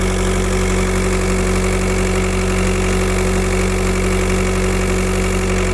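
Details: Steady idle thrum with a constant airy hiss, like a pressure or vacuum leak; turbo tested with VCDS without locating it, owner suspects pressure loss somewhere (turbo, EGR or vacuum pump suspected), source unconfirmed.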